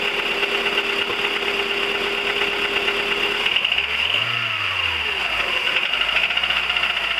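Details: 1999 VW 1.4 16V: light, fast ticking over a steady idle, carrying through a short rev. Engine ticking at idle, source unclear.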